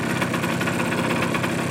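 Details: Suzuki GP100 two-stroke on a test rig, second test after float adjustment, engine hot; rapid regular hollow tapping over the idle, about ten a second; piston slap as hot clearances grew, rebore and new piston planned.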